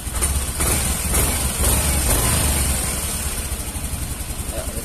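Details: Yamaha Mio M3 125 scooter that stumbled and lacked power on throttle: steady low putter, soft even beat, no stumbling or surging; idling normally.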